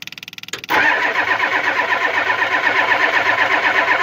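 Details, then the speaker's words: Ford 7.3 IDI diesel cranked with a WD-40-soaked rag in the intake box; starter turns steadily about four pulses a second with faint attempts to fire, never catching; WD-40 didn't work. Slightly better firing may be from cylinders warming while cranking. Cranks but will not start. "now sounds like it wants to a little bit more with a gas rag it could just also be from the cylinders warming up from cranking"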